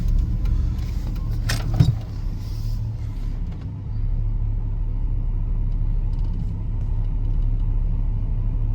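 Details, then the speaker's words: 1995 Chevy K1500 5.7 TBI, warmed up after driving a few minutes, idling at a light: low steady rumble, no stumble or hunting; idle smooth, as it normally becomes once driven despite its intermittent idle fault. "right see now it's running perfectly spine that's what it does first Crank It Up start running like that and it runs perfectly smooth after you drive it for a few [Music] minutes"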